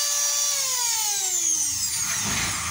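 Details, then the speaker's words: Hair dryer motor after spraying spray into it: high whine sliding downward as the motor coasts, smooth with no scraping or rattle; now spins faster with more rotational power, healthy. "E aí eu já vou ligar novamente e já ligou com mais velocidade com mais velocidade já ligou com mais poder de rotação"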